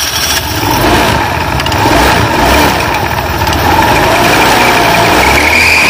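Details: Honda Beat FI scooter after repair of a CVT that sounded very rough and would not move, with snapped V-belt replaced: starts and runs evenly, note rising smoothly as drive takes up; normal running.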